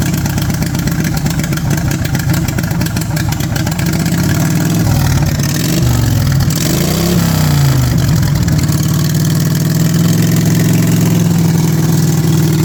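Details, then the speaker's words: Racing lawn mower that sat for a few months, cold-started with choke: it revs briefly, then drops and settles to a steady, even idle with no hunting once warm. Normal warm idle. "not too shabby once she warms up she idles down really nice there she's idled down"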